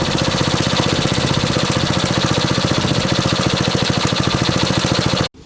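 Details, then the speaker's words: 1964 Honda S90 out of storage: small single revs with a quick, crisp, even beat for several seconds, then shutoff; runs cleanly and sounds healthy. "Hey, that sounded pretty good."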